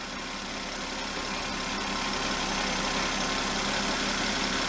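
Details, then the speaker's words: 2006 Volvo S80 T6 B6294T 2.9L turbo inline-six after timing belt replacement, once the side cover rubbing the harmonic balancer was eased: smooth, even idle with a steady hum, no knocks, misses or rattles; normal idle. "There, that's better. That sounds a little better now."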